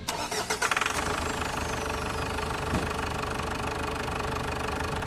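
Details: Ford Everest diesel after cleaning the mass airflow and other sensors for low power and a noisy engine: a brief crank catches almost instantly, then settles into a steady, even idle.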